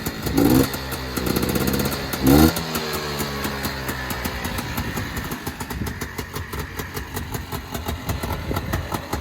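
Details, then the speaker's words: Honda FL400 Pilot, cold engine just taken off choke: a couple of throttle blips settle into an even, steady idle with no misses or knocks and slight smoke; the clutch may make a little noise when cold. "I can kick the choke off and it'll actually idle pretty well to be cold."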